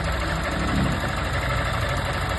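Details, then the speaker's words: 160 motorcycle engine idling: dull repeating tap over steady idle, often mistaken for valve or head trouble, caused by a loose ignition coil; touching the coil stops the noise, releasing it brings it back. "Só a bobina folgada. Trisquei aqui na bobina, parou barulho."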